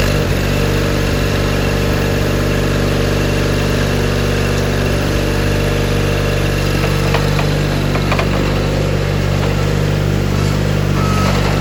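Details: 1987 John Deere 420 garden tractor, 20 HP Onan gas twin, 1897 hours, running: steady, even low engine beat without misses or knocks throughout; normal, healthy running.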